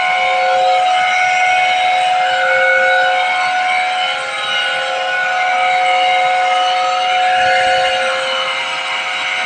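Loud steady whistling tones high over the running compressor, wavering slightly in pitch; abnormal noise, cause not yet identified.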